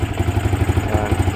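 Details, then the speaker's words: Yamaha R15 V2 on a cold start with a cold exhaust: lumpy, uneven low thump and rattle that wavers rather than settling; the owner says it is short of fuel. "cold start yan an ma malamig pa yung tambutso yan Yan oh ' ba kinakapos kapos yung gas niya"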